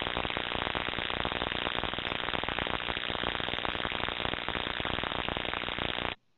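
Through the ultrasound detector, a constant frying buzz with rapid crackle that doesn't let up, typical of corona discharge on energized equipment.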